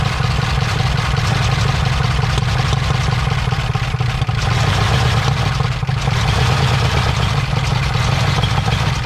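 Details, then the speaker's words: 1968 Ford F100 Ranger V8 on its first start in years, after a stuck engine and burning off mystery oil: a low, heavy, uneven, labouring rumble, dragging against the transmission because the truck was left in drive and trying to move. Rough running under load. "Oh, she sounds rough. Sound like she's going into gear. You feel it move?"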